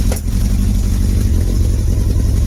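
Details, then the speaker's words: Motorcycle first start after long storage, on choke with air filter removed: rough, uneven running with a sharp pop through the exhaust, a backfire, as a struggling second cylinder tries to come in. "Hear that pop, and that's one of those."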